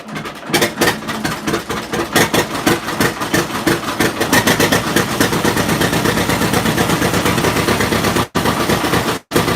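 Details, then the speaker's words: John Deere Model A two-cylinder tractor first started in 8 years: uneven, popping beat with ragged misses at idle and when revved, never ran like that before; rough running, owner suspects distributor needs adjusting. "but I think I'm going to have to adjust that distributor just a little bit an idle or when it you rev it up with this sound kind of rock I don't know exactly the court but what never ran like that before"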